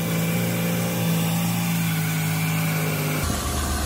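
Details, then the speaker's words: 2002 Ford Escape 3.0 V6 petrol after repairing a blown-out spark plug thread hole with an insert kit: steady even idle hum right after restart, no misfire felt, no puffing from the plug. "sounds good sounds good sounds real good put our hand on the engine and it doesn't feel like it's misfiring"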